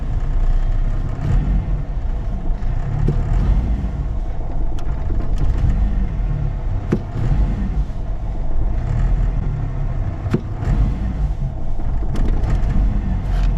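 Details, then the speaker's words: 1994 Ford F-150 4.9 L inline six, no check engine light, no vacuum leak found: struggles falling back to idle and runs rough, surging and stumbling when put in reverse; misfire from low fuel pressure. "You let off though as it's falling back to idle it it struggles"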